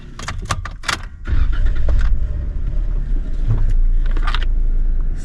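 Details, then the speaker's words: Jeep with a minor electrical issue and an unfixed rattle: a few clicks, then the engine catches straight away and settles into a steady, even idle with no battery light on; normal engine start. "Starting just fine. And no battery light on."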